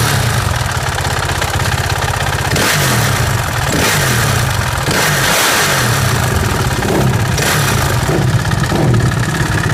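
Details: 2007 RM-Z450 dirt bike idling: a loose, uneven tick or snap over the thumping single-cylinder exhaust. The owner is unsure whether the ticking is normal or a fault.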